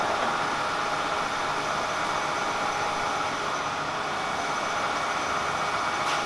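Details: Kearney & Trecker 307 S-12 plain milling machine after knee distribution box reinstallation and oil refill, warming up: steady, even hum and gear whir with no knocks or catches; feed drive running normally.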